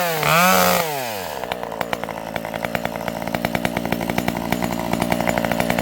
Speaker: This old girl is running beautifully. You can hear this thing has a governed carb.